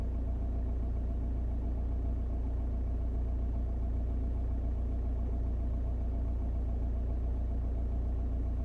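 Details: 2002 Audi A4 B6 1.9 TDI PD130 (AWX) diesel idling with a deep, slightly uneven beat from an intermittent misfire at idle.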